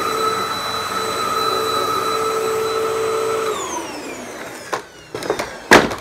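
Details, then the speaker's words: Hoover WindTunnel vacuum with new roller-brush belt installed to fix slow, slipping brush: steady high motor whine held evenly, winding down smoothly at switch-off with a few handling knocks; normal roller brush operation. "so now with the new belt installed it's also plugged in turn it on and try it out oh yeah that's a hell of a difference there you"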